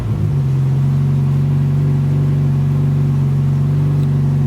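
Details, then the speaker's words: Honda CRX idling after Radium fuel cell and surge tank install: steady, even idle with a smooth low drone and only a faint, mild hum from the enclosed fuel pumps; fuel pressure 40 psi; healthy. "Just a mild hum because it's all enclosed."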